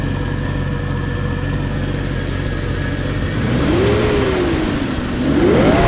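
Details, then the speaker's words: Restored 1997 Land Rover Discovery, started and heard outside after a full rebuild: steady, quiet drone that climbs smoothly and evenly as revs rise and settle, no knocks or ticks; very quiet and smooth, healthy. "so fire it up and we'll hear it outside I just can't get over how quiet and smooth it"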